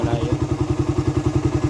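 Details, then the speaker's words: Raider 150 carburetor motorcycle, hot, idling, heard even from a distance behind the bike: even thump with light rattle from the head, absent when cold; cause suspected but unconfirmed. Top-end ticking noise. "kasi bakit ganon pagka malamig tahimik naman siya kapagka uminit na siya yung maiinit na talaga siya ayan kumakalas na siya ng ganyan"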